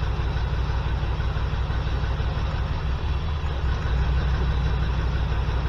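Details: 1979 GMC C15 LS swap, P0300 misfire, plug-wire test at idle: rough, stumbling low idle with irregular lumpy beat; cylinder 5 has spark but isn't hitting, later 1, 4 and 5 found dead, injectors suspected.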